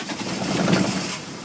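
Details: Ford Ranger diesel, cold start on a frosty, foggy November morning, the coldest since ownership, with a dodgy ignition switch. Brief crank, then it catches at once into a steady clatter with no misses. A healthy cold start.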